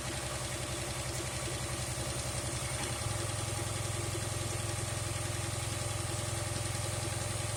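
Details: 2008 Dodge Charger AWD at idle with a vacuum leak persisting after a tube seal was fitted; light, quick, regular ticking over an even idle, source unknown.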